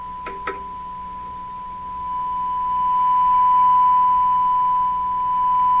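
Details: 1940s Canadian Red Cross tube radio with old capacitors not yet replaced, during a rough IF alignment tuned to 455 kHz: after two clicks a steady, pure whistle near 1 kHz swells and holds loud and clean, showing a well-peaked IF.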